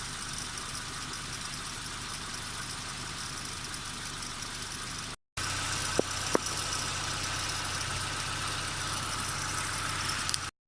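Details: Nissan Micra K12 1.4 petrol (CR14DE), 104,000 miles, idling with a busy high-pitched rattle and hiss over a low hum; owner unsure whether timing chain or drive belt tensioner noise.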